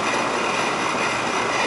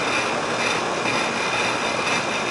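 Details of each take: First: Old Rheem 3.5-ton AC condenser running after fixing low-voltage short from contactor that blew air handler transformer; poor airflow, low suction pressure expected. Steady even whoosh, no knocks, rattles or squeals; running smoothly. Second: Old Rheem 3.5-ton AC condenser running after contactor short/transformer repair; low suction pressure 50, no airflow, 15° superheat, 41° line. Steady rushing fan with gritty uneven hum that jumps louder midway; rough, tired, cause unclear.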